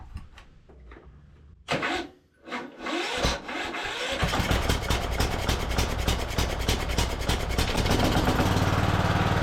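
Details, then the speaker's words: Free non-running Cub Cadet LT1045 riding mower, after carb cleaning and fuel system repair, manually choked, on its own tank: catches after a few tries, then its speed rises and falls. Surging, owner suspects the air-fuel mixture setting. "we'll go ahead and give this thing a crank again it is still surging a little bit I'm going to try to make an adjustment on the air fuel"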